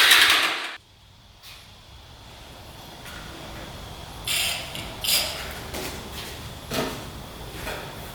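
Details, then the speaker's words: Hyosung Aquila 250 motorcycle, fuel pump bypassed, cylinders cleared, gas put directly in carb: faint cranking with a few sharp irregular pops, about three in four seconds, back through the carb; owner suspects ignition timing off. "We put gas directly on the carb. You can hear it popping through the carb. So typically when it blows back through the carb like that, it means timing's off."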